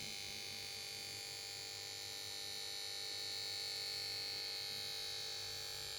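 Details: Samsung PS42A410C1XBT plasma TV won't start: after standby and start-up melody, power board emits thin high-pitched buzz pulsing about four times a second, no start-up.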